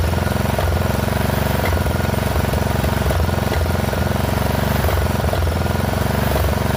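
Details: Poulan XT 12538 riding mower, 12.5 hp single-cylinder, 38-inch deck, warm, after a new carburetor replaced one leaking fuel into the crankcase: idle thump with uneven beats and periodic stumbles every second or so. Rough running; owner suspects valves out of adjustment.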